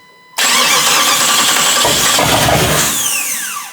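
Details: Jeep TJ swapped to a Chrysler 318 V8 with an AW4 transmission, on its first start attempt with guessed wiring and relays: the starter whirs steadily for about three seconds but the engine never catches; cranks with no fire.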